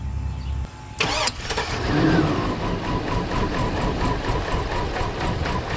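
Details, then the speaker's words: 2002 Cadillac Escalade started after five years sitting in a barn, after a blown 20 A ECM fuse was replaced: starter whirr, then the engine catches into an uneven, lumpy, wavering idle, running rough. "obviously it's running like crap but the last time this thing passed the safety inspection was in 2015"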